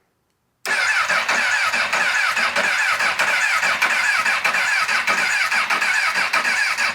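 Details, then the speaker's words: Crashed Honda CBR1000RR 1000cc bought as running, reportedly with a blown head gasket and no oil: fast, even starter churn for about six seconds with no firing. It cranks but won't start. "well there you have it everybody can't get it to fire up right now what would be the problem though who knows"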